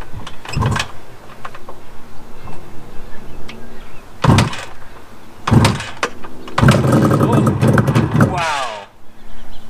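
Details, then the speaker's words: 1973 Suzuki GT550 two-stroke triple, first start after 10 years stored, carbs cleaned and rebuilt, choke on, kick-started: heavy kick thumps, then it fires after three kicks and runs ragged for about two seconds before stalling; won't idle yet. "no way it only took three kicks three cylinders three kicks but it also stalled okay let's see if we can get it to run longer than a two seconds nope doesn't seem like it wants to idle just yet"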